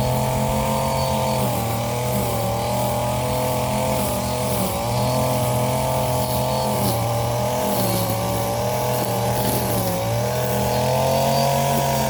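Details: Warm Stihl FS 56 RC trimmer, after 20:1 mis-mix and cleaning of muffler screen and spark plug: high buzz holding steady with small throttle dips, picking up cleanly each time; running healthy.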